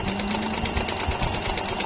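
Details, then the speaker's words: Jaguar MP-006 multi-stitch sewing machine, good as new, sewing thick denim: fast, even needle chatter at steady pace under load, no labouring or knocking; runs smooth and healthy. "Very smooth po siyang gamitin. Napakaganda Start. Hindi pa rin po nagbabago po yung tahi niya."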